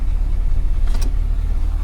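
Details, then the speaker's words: Isuzu NPR diesel after brake booster vacuum pump replacement, now pulling 26 inHg versus about 12 before: steady low rumble with no knocking, rattling or whine; pump runs then stops when the tank fills, booster alarm no longer triggers. "You can hear the pump, and then I guess when it fills the tank up it stops, but yeah, that feels so much better."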